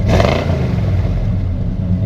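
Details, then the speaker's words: 1976 Chevy C20 Cheyenne Camper Special, 350 V8, cold engine: revs up with a deep, even rumble and settles back cleanly, no misses or knocks, a little condensation but no smoke; a healthy rev. "You know, sounds good. A little condensation. The truck's been cold, but it doesn't blow smoke or anything like that."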